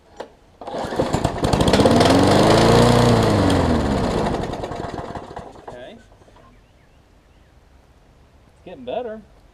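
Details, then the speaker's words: Craftsman push mower, primer now priming but carb not yet cleaned (owner suspects clogged passages), low on gas: picks up, runs slow and uneven with wandering speed, then fades out. Rough slow running. "all right y'all let's see sounds like it's a little on the low side or the slow side whatever pull it out a little bit climb it up a little bit"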